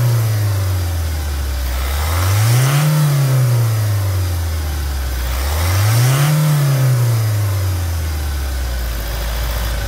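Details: Toyota Hilux diesel at 350,000 km, new sound after timing chain replacement, for comparison with the old one: two smooth blips dropping back to a steady idle with no chain rattle. Normal, healthy revving.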